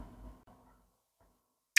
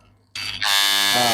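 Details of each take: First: Corded Wahl Legend clipper switched on with a harsh, loud, steady buzz from a misadjusted drive coil; after the on/off switch was reassembled it still buzzes, and loosening the adjustment makes it louder, so the switch isn't the cause. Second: Wahl Legend corded clipper after repair, before tension-screw adjustment: steady even high buzz with no rattle or chatter; earlier loud noise gone, running normally.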